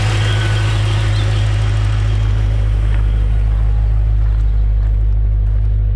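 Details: 1956 Chevrolet Bel Air Nomad resto-mod with fuel-injected 350 V8 and 700R4: deep, steady rumble with an even low beat and no knocks or misses. Settles into a smooth, healthy idle.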